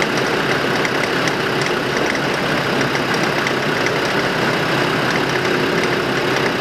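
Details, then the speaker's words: 2005 Land Rover Defender 2.5 turbodiesel, manual, 4WD, 92,000 km, on lift in fourth gear with front right hub refitted: faint irregular clicks through steady drivetrain drone; hub turns normally, driveshaft or hub suspected, source unknown. "ну треск откуда явно слышно все глушу щелканье идет четко и как бы ступицы при этом ступица крутится нормально"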